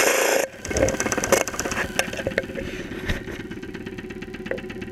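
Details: 2001 Saturn SL2 run with very low oil and unused for two months, hard to start, heard through a stethoscope microphone at idle with 35-40 psi oil pressure: a steady ticking knock over the idle, keeping pace with the engine. Oil starvation suspected.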